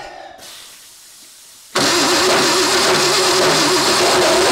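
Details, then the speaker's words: Classic Ford Bronco project (Duraspark ignition) cranking without starting; harsh gritty starter grind each time, with a dead spot on the flywheel and the starter kicking out; cause suspected, not confirmed. "yeah I can feel it every time that's what that grindy sound is all"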